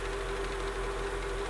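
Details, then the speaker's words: Mercedes SL500 after ABC suspension valve block rebuild, suspension not yet rising because the system needs priming: quiet, even idle with a steady low hum, no knocks, ticks or misses; engine runs smoothly. "but she sounds good right she's a little crooked but she's coming back to life listen to the engine it sounds really really good"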